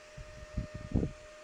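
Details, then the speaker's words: Replacement fan for a mini heater, bench-tested on a motorcycle battery with alligator clips: steady, even hum with no rattling or scraping, only handling bumps; normal fan running. "Not making any noise. All right, let's compare it to the old one. Ideally, we don't want it to be any louder than the old one."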